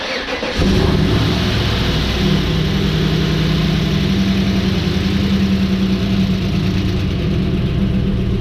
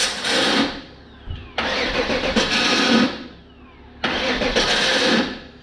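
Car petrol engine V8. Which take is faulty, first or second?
first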